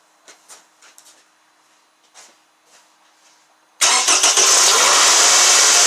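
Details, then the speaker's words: 2009 Toyota Camry idling with a loud, steady high-pitched whine and strong vibration; battery had gone dead. A failing alternator. "that loud wine noise is what i'm referring to you can feel it it's like vibrating real bad"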